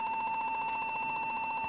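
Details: PC tower bumped hard, powered on with back cover off: high, steady motherboard beep with a fast flutter, no boot; fixed by cleaning the memory.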